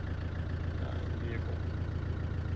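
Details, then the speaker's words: 1995 Land Rover Defender 130 300Tdi diesel with stock exhaust and rubber valve-cover matting, idling, recorded inside the cab: low, even, subdued idle with no knocks or rattles; normal diesel idle. "this is our cabin here with the engine running 300 tdi uh stock exhaust fitment on the car and does have the rubber valve train matting on the top to quiet the valve noise"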